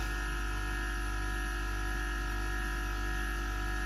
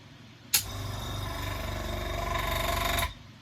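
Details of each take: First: Gaahleri Apex Force ultra silent airbrush compressor cutting back in after about 3 minutes of spraying: soft steady low hum with faint even whine, no knocks; running quietly and normally. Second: Compressor used for noise comparison against a new Gaahleri Apex Force ultra silent unit: harsh, fast mechanical clatter over a loud buzzing run that starts and stops abruptly; noisy, worn-sounding, cause not confirmed.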